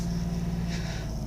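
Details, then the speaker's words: 2005 Mazda RX-8 rotary, a day and a half after rough idle, flashing light and white smoke following redline runs (owner suspects coolant seal leak, coolant level normal): starts right away and idles evenly with no stumble or vibration; normal idle. "as you see it start off right away and today I'm not getting a rough idle no vibrations"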